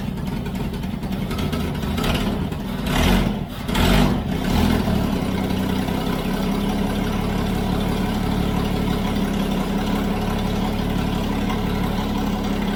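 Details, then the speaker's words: Toyota FJ40 Land Cruiser first start after purchase, throttle stuck, no choke, no oil pressure shown on gauge: loud, raw low rumble at idle with an uneven chuffing beat; exhaust blowing through a big hole. "and the exhaust like you were hearing was that right there there's a big hole i don't know if you can see that there's a big hole in the exhaust right there"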